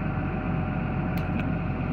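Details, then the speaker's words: Caterpillar diesel started after replacing the electric fuel priming pump and fuel filters, owner unsure it was fully primed: steady low, even rumble at idle with no misses or knocks; repair successful, running normally. "see if she goes I'm not sure she's primed up enough yet but we'll see there we go Eureka well looks like I figured the problem out so or I was able to repair it"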